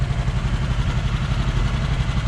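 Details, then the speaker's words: 1966 Ford Bronco V8, carbureted, running again after sitting about 15 years: loose, chuffing low-end pulse with a raspy puffing edge from an exhaust leak underneath. It is still missing on a cylinder or two, with timing off. "So you can hear an exhaust leak underneath right around here, but"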